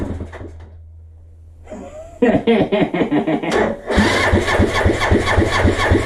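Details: Suzuki GN250 single during reassembly, first start with mock-up wiring: a few cranking thumps, then it catches and settles into a quick, even single-cylinder beat; it starts and runs fine.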